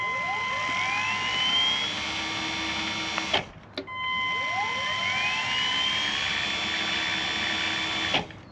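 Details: Caravan motor mover run while disengaged: a whine climbs smoothly to a steady high pitch, stops, then repeats with no clicking. The mover works fine, but it clicks when moving, with no speed difference forwards or backwards.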